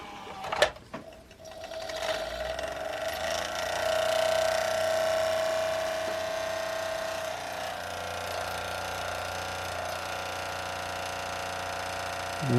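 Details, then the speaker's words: Toshiba SD-2800 DVD/CD player with disc loaded, lid off after tray repair: drive spins up with rising whir into steady buzzy hum, loud but no longer grinding; noisy disc mechanism, cause unclear. "actually is making a lot of noise but it's not a grinding noise like it was before"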